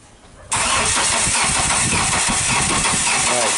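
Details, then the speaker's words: 1999 Chevy Cavalier, customer complaint of no start, no DTC: starter spins the engine in an even rhythmic churn for several seconds but it never catches or fires; crank no start. "customer complaint is that the vehicle is not starting basically a crank no start right"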